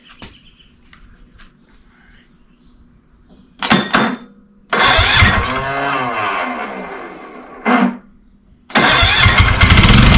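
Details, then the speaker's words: Wheel Horse Lawn Ranger Tecumseh engine with suspected carburetor issues, fed starting fluid: catches in short bursts, revs briefly and dies, then fires again; runs only on starting fluid, pointing at the fuel system. "Well, that's what we were after. All right. Well, she starts, she runs. So, I got to figure out a fuel system."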